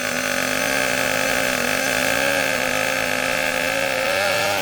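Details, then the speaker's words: HPI K4.6 nitro engine in a Savage monster truck, run briefly after startup while still warming up: high buzzy drone holds flat and won't pull or move, extremely rich; over-rich mixture. "let it warm up enough so we can drive it and then we give it more of a warm up by driving it up and down in line notice how rich it is it don't want to move"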